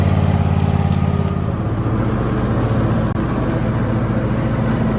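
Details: Zero-turn mower that only clicked, now after replacing the starter solenoid: engine catches and settles into an even steady thump at fast idle with no misses; normal running.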